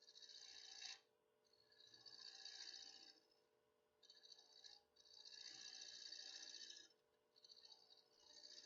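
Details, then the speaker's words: Woodturning an inside-out ornament on a lathe; harsh scraping bursts come and go about every two seconds over a steady motor hum as the tool crosses the cutout: tool chatter on interrupted cut. "You can hear it almost chattering as it's going between the cutout."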